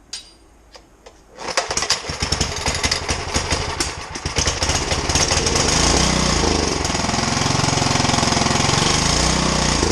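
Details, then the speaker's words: 1970s Sears generator, unrun for 10+ years, restarted with gas added. The single-cylinder fires after a few sputters, then settles into a steady, even putter with no misses. Normal running. "there you go it ran i got some gas in the tank let's see if it'll start to stay running"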